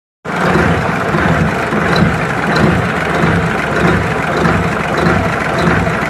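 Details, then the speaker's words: Mitsubishi diesel at raised idle, injection timing previously addressed and nozzles repaired, yet still knocking: sharp, uneven tapping over the clatter; the knock persists and the injection pump and delivery valve are to be cleaned next. "kita naikkan dulu langsamnya atau stasioner nya supaya terdengar suara ketukan nya sahabat ya bisa kita deteksi"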